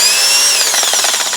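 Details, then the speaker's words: Used Makita BHP452 18V hammer drill with a dirt-clogged gearbox on a weak battery, no load: high whine winding down with an uneven pulsing grind as the motor slows, not running right. "I don't this one doesn't sound great so I'm going to figure that thing out"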